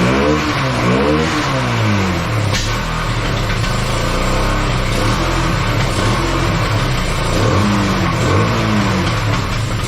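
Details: Bayou 220 ATV, sat for 8 years, after cleaning the clogged carburetor and refitting it without an air filter; the single picks up cleanly through repeated blips, pitch rising and falling smoothly with no stumble, somewhat smoky. Normal running and revving.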